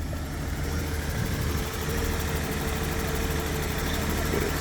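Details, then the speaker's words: 1991 BMW 750iL V12 idling after a coil pack fix, with the check engine light now cleared: a smooth, even idle with a steady low hum and no misses or knocks; normal idle. "Sounds better. Feels better."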